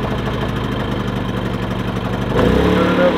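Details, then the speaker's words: Predator 3500 inverter generator with 18 hours, before cleaning the spark arrestor: uneven single-cylinder pulses about four a second, then the note lurches near the end; engine stumble, owner suspects clogged spark arrestor. "of stumbling issue on it I believe what the issue is is the spark arrestor slug but I'll show you what it's doing now"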